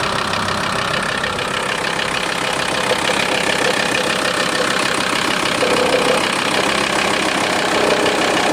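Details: VW T4 2.5 TDI (ACV engine) diesel idling: fast, fairly regular light ticking about three to four per second, going away when a little throttle is given; ticking noise at idle, source unclear.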